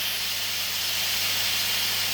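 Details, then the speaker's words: Pressure King Pro electric pressure cooker on quick release: the release valve is pressed with a tea towel covering it. A steady, loud, even steam hiss with no low rumble. The lid won't open until the noise stops. Normal steam release. "Once it stops making all that noise, it'll let you take the lid off, but it won't let you take the lid off before. There's no reason to get burnt."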